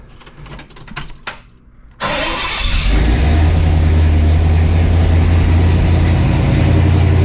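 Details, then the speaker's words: 1968 Pontiac LeMans, bought with about 68k miles, idling on its jack stands just after the owner installed a dual exhaust kit. It catches and settles into a deep, steady, even burble with no puffing or ticking; the exhaust sounds tight, no leaks. "Oh, that sounds good. That sounds so good."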